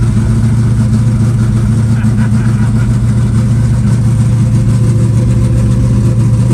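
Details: Green Chevelle just cold-started at about 20°F in snow, static compression just under 14:1: a loud, steady low burble with an even lope and no knocks or misses; settling into a healthy idle without choke.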